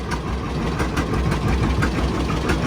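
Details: 1955 John Deere Model 60 two-cylinder, fresh oil and new plugs, fed from a temporary boat gas can: slow, steady popping through an open pipe, even and unhurried; idles healthy.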